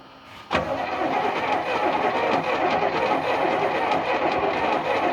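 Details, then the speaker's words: 1976 GMC C35 with small-block Chevy 350, sat about 10 years, mice debris blown from cylinders, penetrating oil used to start: even, steady cranking chug about three beats a second; compression sounds balanced across cylinders. "happens sounds like it has the same amount of compression idling it's quiet"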